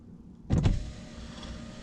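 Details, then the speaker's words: Saab 9-5 power window after silicone lubricant soaked into channels overnight: short clunk at start then even steady motor hum, no binding or squeal; much improved, ticking is window unsealing, normal. "that is an improvement and windows have improved a lot so that's ticking noise also that is the window unsealing so that's fine"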